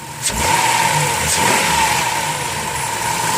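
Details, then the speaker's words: 2007 Dodge Caravan mobility van, 3.8 V6, about 67,000 miles, hood open: after start-up catch, smooth steady idle with faint even hum, no squeal, tapping, belt squeak or smoke; healthy engine. "let's pop the hood so you can listen to it run underneath it's got a 3.8 v6 idle smooth"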